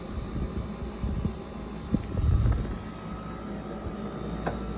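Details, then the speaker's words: Black+Decker portable air conditioner/heat pump in cooling mode, air around 40 degrees and exhaust tube getting warm: low, steady compressor and fan hum with a couple of light bumps; running evenly, nothing abnormal. "It got cold. It's around 40 degrees. It is cooling."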